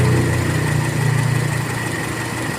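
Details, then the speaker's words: Toyota Kijang Kapsul 7K, warm, after carburetor setting: engine ticks over at a low, even, steady pace with no hunting or stumbling, judged a very nice idle. Normal idle. "Seperti ini menurut saya stasionernya ya enak banget."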